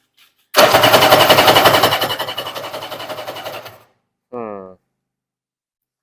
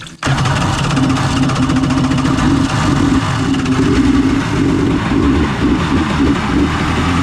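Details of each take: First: 1994 Kawasaki 750SX stand-up jet ski, unused for years: starter churns in quick even pulses about three seconds and slows, no firing; cranks but won't start, spark confirmed, fuel system probably gummed up. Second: 1994 Kawasaki 750SX two-stroke jet ski, about 30 years old, revived after years unused: throttle feathered for extra fuel, catches and settles into a busy, uneven burble. Cooling water on, flushing brown water, heavy smoke from the oil/gas mix.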